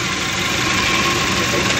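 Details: Chevrolet Spark idling after head gasket replacement and engine timing work, all repairs finished; earlier symptoms persisted until a head fault was found and fixed. Steady, even running with a smooth hiss, no knocks, misses or surges; normal idle.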